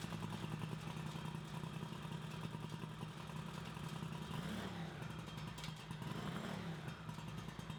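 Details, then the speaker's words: Craftsman GT6000 garden tractor single-cylinder engine running fast and even with no misses or knocks, revving higher via an added counter spring against the factory governor; runs well after the flywheel install that previously sounded bad. "And so, and last time when we finished installing the flywheel, it kind of sounded like crap, but now it runs real good. So we'll fire it up here and show you what that sounds like."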